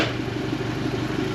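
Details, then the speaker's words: 2017 Suzuki DF115 four-stroke outboard after 300-hour service (oil, plugs, water pump, gear oil, anodes, fuel filters) fixing rough idle and stalling: steady, even idle with smooth low thrum in reverse, no grinding; gear case good. "Make sure we're peeing water shifting. Nothing's leaking. Make sure she still sounds good."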